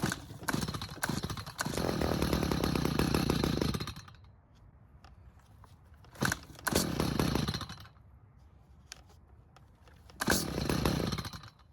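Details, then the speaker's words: Stihl two-stroke hedge trimmer stored with old fuel, won't start; after carb and air filter refitted, choked pull-starts give short ragged firing bursts that catch a second or two then fade, never holding idle. "So, it is at least trying to start. However, it won't do much more than that."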